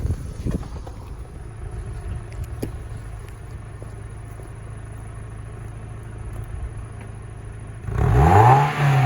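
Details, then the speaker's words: Mazda MX-5 Mk2 with single exhaust tip: quiet steady idle, then a quick rev blip rising smoothly with no misfire or rattle; normal healthy revving. "So as you can see, it only has a single exhaust tip at the moment, which will be getting upgraded to a 4 tip. But just rev her up for"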